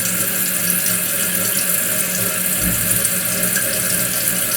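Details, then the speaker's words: Toilet keeps running after flush: steady hiss of water trickling into tank never going silent; float not rising fully, flow adjustment fine, fill valve leaking; worn seal, Kohler 83143 seal diaphragm replacement planned. "will raise that off but the problem is it's not raising it up all the way so you can say well maybe it's the flow down here is not adjusted properly but it is because the water just leaks a little bit there's a leakage"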